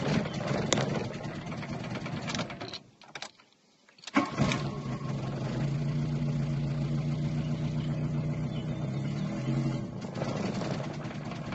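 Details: VW Golf Mk2 with CIS injection runs unevenly, misfires and stalls after the alternator starts charging, then restarts to an uneven idle; cause was a faulty Hall sender in the distributor.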